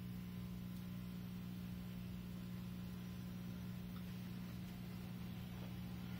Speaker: of course the small air conditioner is picking this exact moment to run it's what do you call a condensate pump so that's what that buzzing noise is if you can hear it